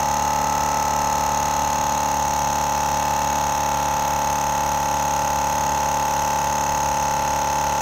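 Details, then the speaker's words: GSPSCN dual-cylinder 12V tire inflator inflating a load range E BFGoodrich KO2 truck tire from 0 to about 40 PSI: an even motor hum with a steady mid-pitched tone and a light rapid pulse, quieter than expected, no knocks or rattles; running normally. "i really thought it'd be a lot louder it is this is a dual piston it's slowly going up everything's cool right now"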